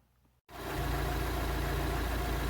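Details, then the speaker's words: Fiat Palio Fire 1.0 8v after replacing the burnt exhaust manifold gasket and sanding the head face: it starts into a smooth, steady idle, and the knock-like ticking is gone. "E aí pessoal acabou o barulho papelzinho rodando aí redondinho já parou de bater"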